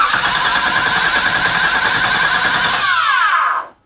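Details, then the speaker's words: 1986 Nissan 300ZX, flood salvage: fast, even starter cranking at about three to four beats a second that never catches, with no fuel pump hum; the gauge shows no fuel; crank, no start, fuel delivery suspected. "I don't hear a fuel pump I don't either it also doesn't show that has any gas oh really has none"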